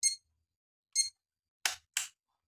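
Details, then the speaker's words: Crown Nexia digital scale that won't hold charge: after half an hour charging, voltage still low and still beeping; power supply good but battery not storing charge, weak, to be replaced with new one. Short high chirps a second apart with clicks: low-battery warning beep. "setelah setengah jam masih kecil dan masih mengeluarkan bunyi itu artinya supply dari power supply di sini bagus tetapi ke dalam baterai tidak tersimpan"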